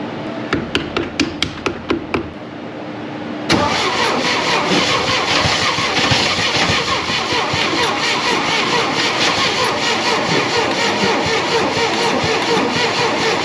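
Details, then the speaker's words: 1962 International Scout 4x4, first start after 50 years, primed with gas: about eight uneven cranking strokes over three seconds, then catches fast and rough; long cranking while fuel pumps up. "prime it get a little shot of gas cuz it's going to take a while to pump up might have to do this two or three times"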